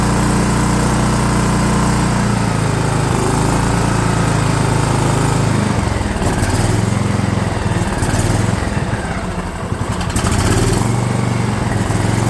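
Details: DR all-terrain mower, Kawasaki FV420V engine after years sitting, fuel lines leaking: runs rough and uneven, sags and stumbles instead of idling; owner thinks it's flooding, then opens the carb bowl suspecting the float and finds it in bad shape.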